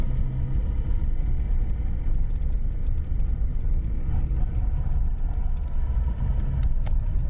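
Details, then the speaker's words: Lada Priora after a steering rack rebuild with a new bushing, new support and fresh grease: the small-bump knock was traced to the rack. Only low, even road rumble over small bumps, no front clunks; the rack is now quiet. "итак перебрали мы рейку дело было в рейке сейчас покажу результат"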